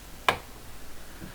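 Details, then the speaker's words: Alfa Romeo GT door: two sharp clicks about 1.2 seconds apart on every opening, with slight visible movement at the hinge pin; worn hinge pin, to be removed and fixed. "now this issue has been driving me crazy ever since i got this car every time i open the door i get to hear this annoying clicking sound and today we're gonna be fixing it for good"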